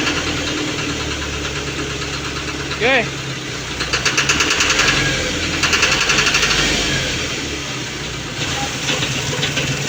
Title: engine knocking ang grey smoke